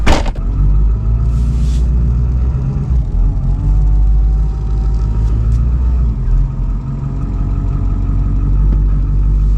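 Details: 2002 Ford F350 7.3L diesel after running 30+ miles on 17 gallons of gasoline, no check engine light: brief flare from high idle, then a deep steady rumble; normal idle.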